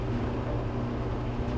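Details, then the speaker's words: Maytag Neptune MDG4000BWQ gas dryer with a complaint of no heat after the first few minutes: steady low hum of the drum motor turning with no knocks, squeals or scraping. It starts and runs normally, heating only at first. "So we're just going to start it up here. So it does run, it does start up,"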